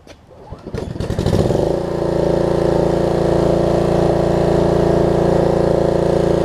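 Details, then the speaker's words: Snapper RER rear-engine rider after a deck belt replacement, throttle cable repair and carb cleaning, restarted warm about 30 minutes later without choke. It catches within a second and hums steadily with no misses or surging; normal running. "i just love the simplicity of this thing full start really the only moving part you got is a drive wheel and a deck belt"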